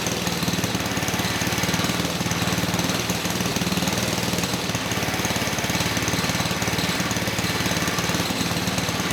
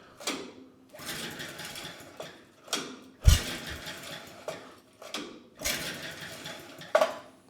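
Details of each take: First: 1959 McDonough T-10 Tin Lizzie go-kart small engine, reassembled after 30 years and earlier no-compression troubleshooting, mounted on kart while idle is adjusted down: fast, even putter about four beats a second, no knock or miss; normal running. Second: 1959 McDonough T-10 "Tin Lizzie" go-kart engine, idle for decades: the compression gauge reads 0 psi against about 60 psi expected; pull-start whirs spin freely with no compression pulses.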